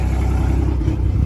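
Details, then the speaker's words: Mercury Optimax 115 hp outboard, running on water after a stuck injector was found: low, steady, even rumble, running well; owner hears a slight stumble or miss and suspects a failing coil. "oh this thing's fixed I got the water to it awesome all right guys it runs it runs actually really well"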